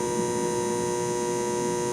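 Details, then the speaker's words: Mercury-vapor shop light installed in 1996, about to be replaced with LED: constant buzz at a fixed pitch; light itself works fine, buzz just irritating. "That buzz is constant and can be pretty irritating."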